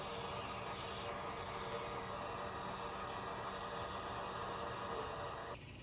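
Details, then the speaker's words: 2020 Ford F-350 Super Duty during fuel filter change: key cycled six times, ten seconds each, to fill filter housing; steady electric whir with faint hum for about five seconds then cuts off, normal lift pump priming. "And I can tell you just from listening to it that you have to do it six times for it to actually fill up that housing with fuel because as it was filling up, you could hear the fuel actually filling up to the top of the fuel filter."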